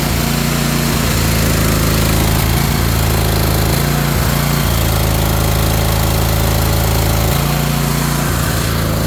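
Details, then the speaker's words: Ariens Apex mower with Kohler 7000 series twin, about 238–239 hours, oil checked, rough running and power loss: lumpy uneven chugging with stumbles and gaps, one cylinder dead; ignition coil suspected, not confirmed. "It almost sounded like one cylinder was out."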